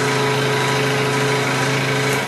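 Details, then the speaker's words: Cheap scroll saw running: steady motor hum with buzzy rattling vibration; excess vibration attributed to the tensioning knob not letting the blade be tensioned properly. "that a lot of that vibration is coming from the tensioning knob back here not allowing the saw to be tensioned properly"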